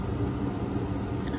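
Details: Home gas furnace in heat mode, house at 45°F, after ignition and flame sensing: the fans come on with a steady low blower hum and smooth, even airflow, no rattles or scraping; normal operation.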